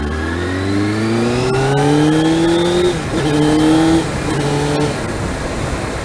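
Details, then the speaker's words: Suzuki GSX-R 600 SRAD inline four revving cleanly with a crisp even note, no clatter, after the cam chain was adjusted; the unadjusted chain made it sound like a diesel. Fresh petrol was also run through to clean it up. "yeah so mainly adjusted the the cam chain um which took all the noise out of it i mean it really did sound like a diesel engine with the unadjusted chain"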